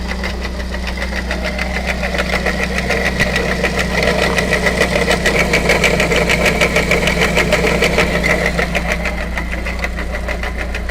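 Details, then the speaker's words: Dongfeng C37 minivan engine at idle: quick even knocking about three per second over steady idle; water splashing seen, failing water pump bearing on the alternator belt drive. "el sonido ha desaparecido lo que me indica que algún componente que es movido por la banda de transmisión del alternador se encuentra defectuoso"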